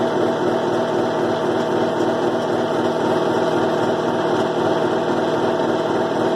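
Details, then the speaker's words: 2005 Kenmore 70 Series direct-drive washer, reassembled, on low spin: steady whirring hum with rough uneven buzz; strange noise, coupler possibly blamed, cause unconfirmed. "ese ruido extraño creo que a lo mejor puede ser y que está haciendo el ruido no sé por qué"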